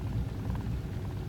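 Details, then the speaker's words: 1999 Pontiac Grand Am GT 3.4 L V6 at idle before fuel pressure regulator replacement; low uneven rumble that stutters and surges instead of holding steady, fine when driving; rough surging idle, cause suspected, not confirmed. "I hear how it's kind of like kind of not will smooth air that's put in there that's kind of like stop like stuttering kind of huh hope you hear that or not"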